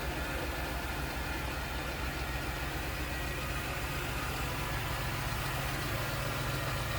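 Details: Steady, even idle of a 1995 Chevrolet Camaro convertible's 3.4 V6 in a clean engine bay, with a smooth low hum and airy bay noise, no knocks or ticks; normal healthy idle.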